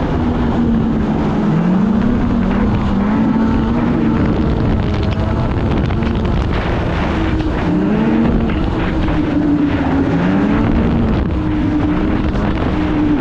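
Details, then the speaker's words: 2016 Polaris Indy 600 SP two-stroke snowmobile, test ride after fresh spark plugs, before fuel filter fix: drone wavers and sags under wind rush at half throttle, only about 6200-6400 rpm; fuel-starved bog from plugged filter. "yeah this thing here you hit half throttle and it got nothing"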